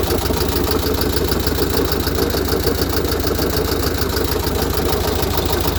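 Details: VW Type 1 36HP air-cooled flat-four, fully rebuilt with under 100 miles, valves adjusted, idling with a steady knock about three beats per second that continues with fan belt off; owner asks if rod knock, hopes loose oil cooler in fan shroud.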